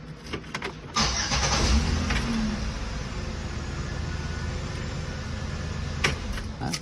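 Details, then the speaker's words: 2007 Saturn Aura 3.5 V6 crank-no-start with a brand-new battery, after a new relay was fitted: brief crank catches cleanly near one second and settles into a steady, even idle with no stumble; starts normally. "There you go. Car just started."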